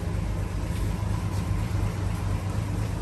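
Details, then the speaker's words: 1948 Chevrolet 3-window pickup with a 216 inline six and 3-speed column shift, idling: a steady, even low rumble with no knocks or misses. The old straight-six is running well, a normal idle. "again, it's running good. It'll clean up good too when it gets all said and done."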